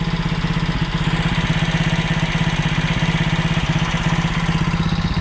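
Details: Alfa 110 moped, reassembled after a valve-like knock. Even single-cylinder putter at idle with the heavy knock gone and a faint tick in the background. Mechanic suspects cylinder wear letting the piston rock at the rings.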